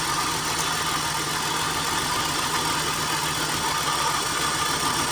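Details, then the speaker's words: BMW Z3 engine that sat for a while, misfire diagnosis: with cylinder two's coil unplugged the idle doesn't change, so that cylinder isn't firing; swapping coils shows coil is fine, spark plug suspected next. "yeah it's not clear yet it's still missing so we are going to check which one is two and six"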